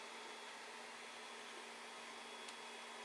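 A soft, steady whir with a faint hum and no rattle or ticking; this power supply fan runs quietly and normally.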